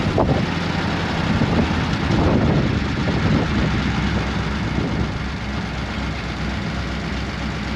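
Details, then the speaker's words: 1937 Ford taildragger with a 59AB flathead V8 and full dual exhaust, on its first drive on a humid day around 80°F: a steady rumble with a random miss and the odd stumble. It is suspected to be running out of gas in the nearly empty nurse tank, with the pickup possibly out of fuel. "that was pretty good i think the random missing it had i think it was sucking uh running out of gas here"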